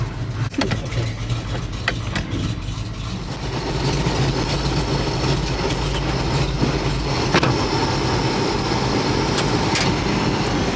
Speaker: is staying across the road because he says he doesn't think it's going to start but I believe in it